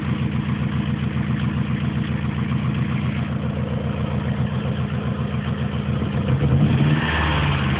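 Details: Opel Tigra engine problem: petrol engine idling then revving with a light clatter over the run; abnormal engine noise, source unclear.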